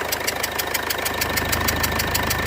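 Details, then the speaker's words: 2015 Mercedes CLA 220d diesel idling: a sharp, even puffing tick several times a second from the back of the engine over the clatter; one injector is visibly leaking badly. "I think it's an injector I might be wrong I looks like one of the injectors is leaking in quite badly"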